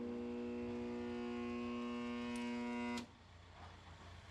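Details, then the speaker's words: Piranha P50 ironworker, after replacing a crushed power cable: loud steady motor hum, motor bogs down at power-on; voltage drop traced to the damaged cable, remaining hum caused by a loose terminal lug, then tightened. "So, we still got that noise. Let's find out why. So, after doing further diagnosis, after I got the cable in, found one of the terminal lugs loose and got it all hooked up."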